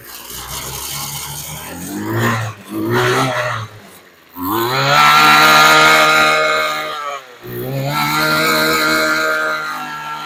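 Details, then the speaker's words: Old Weed Eater LT7000 15-inch two-stroke trimmer, after backing out its single high mixture screw about a quarter turn: high buzzy revs hold steady, dip briefly and pick up cleanly, no stumbling; runs really good. "Thing still runs. Actually, it runs really good. Nice for an old vintage weed whacker."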